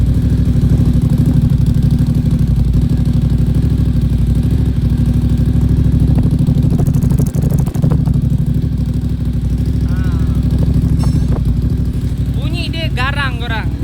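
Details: Moto Morini X-Cape 1200 at its 1,000 km first service, just after the oil change while warming up: deep, loping twin idle at about three beats a second with a steady low rumble and no knocks or rattles; healthy.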